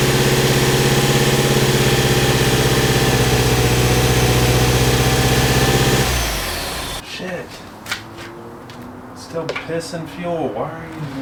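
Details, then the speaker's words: First start of a rare Mitsubishi Evo 8 MR after a motor swap: a smooth, even idle with a steady low rumble before it shuts off cleanly, with no leaks. Normal idle. "so here she is boys no leaks runs good Idol"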